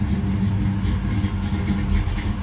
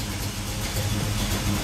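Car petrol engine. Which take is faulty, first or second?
first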